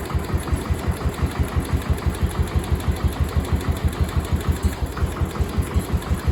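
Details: Cub Cadet 1250 hydrostatic single-cylinder engine, first start after sitting about 20 years under a barn shelter, after more fuel was added and debris blew out of the exhaust: steady, even thump around three beats a second, quiet exhaust, no smoke, no knocks; normal idle.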